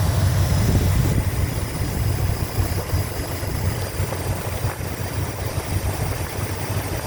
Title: 1987 Chrysler 5th Ave Lifter tick gone! New lifters, manifold gaskets etc